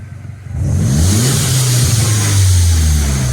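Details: Mini Cooper S after a new high pressure fuel pump fixed a crank-no-start; engine catches, revs rise and fall smoothly with a steady even note, no knocks or misses; fuel pressure actual and target change together.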